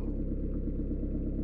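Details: Citroën/Peugeot 1.9 diesel idling after valve clearance adjustment that fixed rocker ticking, hard morning starts and smoke; low even rumble, steady firing, no tapping or misses.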